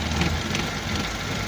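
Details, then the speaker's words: Petrol engine idling: uneven idle with a slight unsteady hunt and faint hiss as a vacuum hose is moved, demonstrating a vacuum leak; worsens as the engine heats up and can cause stalling. "So may vacuum leak maririnig niyo rin naman po oh"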